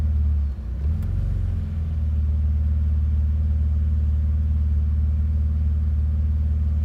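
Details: BMW Z3, cold engine: low throbbing idle with a slightly uneven pulse after a brief stumble; rough cold idle, cause not yet pinned down.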